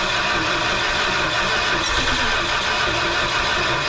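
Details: 1971 Dodge Sportsman Class C motorhome, 360 V8 with freshly rebuilt Holley two-barrel carb, started after a sketchy fusible link was noted: it catches and settles into a loud, even run without stumbling or misfire, carrying on cleanly.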